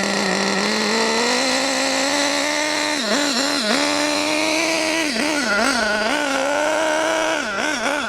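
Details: HPI Savage GT6 nitro RC engine, new and running in, being tuned with the adjusting screws: high, buzzy note holding a clean steady pitch, dipping and recovering crisply on throttle blips; sounds really good; normal running.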